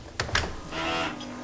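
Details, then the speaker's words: Window hardware: two latch clicks, then a drawn-out groaning squeak as the sash swings on dry hinges; fixed by lubricating the fittings and hinges with hybrid silicone grease. "слышите этот ужасный звук а устранять его мы будем гибридной силиконовой смазкой"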